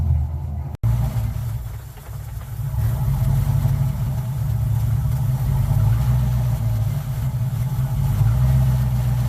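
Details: Car "Suzie" just after new starter fitted, started on a weak battery; catches quickly after a brief dropout, lumpy loping idle with rough throb sounding like a roller cam; running fine.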